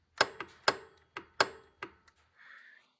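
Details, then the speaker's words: 2006 Dodge Durango, compressor relay pins jumped with a paper clip at the fuse box: sharp metallic clicks at uneven intervals as the A/C compressor's electromagnetic clutch engages and disengages normally; clutch tests good, so the relay is to be replaced. "you hear that clicking sound that's our AC clutch over here uh engaging in disengaging"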